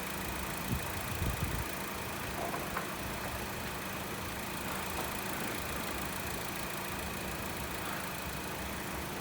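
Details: 2017 Honda WR-V idling with AC engaged after compressor replacement for a loud engagement noise, pressure correct, system being monitored; smooth steady hum, no knocks, whine or grinding, normal compressor.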